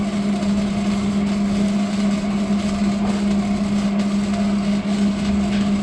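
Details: 1975 Plymouth Duster Slant 6 after carburetor cleaning/rebuild and temporary exhaust with cherry bomb style muffler: loud, steady exhaust drone, smooth with no misfires or rattles; normal running, doesn't sound too bad.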